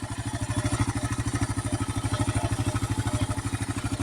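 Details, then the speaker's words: 2008 KLR 650 single-cylinder, 19k miles, warm-up idle set a little low: steady ticking clatter about three per second; owner suspects a loose top end, balancer already adjusted so likely not that, cause unconfirmed. "They're kind of loose in the top end. I adjusted the balancer, so I don't think that's it."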